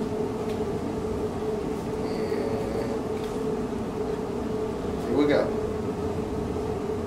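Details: Abandoned 1984 Honda Saber VF700S V4, cold first start after long storage on a gas bottle, given a little starting help: catches and holds a steady but rough drone; water pouring from the exhaust, still burning off water and oil, smoking.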